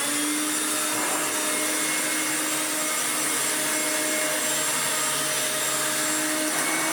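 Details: Restored Hoover Turbomaster Electronic upright vacuum running on carpet after new motor and brushroll bearings and full clean, strong airflow; steady high motor whine with even brushroll hum, no rattles, scraping or bearing growl; normal running.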